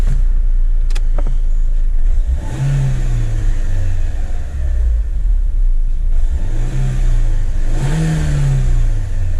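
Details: 2010 Renault Megane 1.6 petrol, 60,000 miles, after replacing cylinder 4 fuel injector, spark plugs and one ignition coil: catches, revs rise and fall, then even steady idle with no stumble: normal start and idle.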